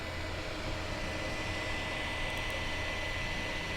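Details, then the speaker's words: 2008 iMac, all windows closed, temperature about 69°C: loud, constant airy rush with a thin steady whistle, ongoing over a year and a half, stops only in sleep or shutdown; excessive fan noise, repairs haven't fixed it. "the noise is loud the noise is there it is constant and only stops when the computer is put to sleep or turned off"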